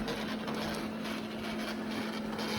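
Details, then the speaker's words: Eufy Robovac side brush motor before repair: thin, steady small-motor hum with no pull, audibly struggling and lacking power to turn the brush spindles, unlike the working motor on the other side. "as you can see you can see this first motor here you can even hear the motor struggling to go compared to"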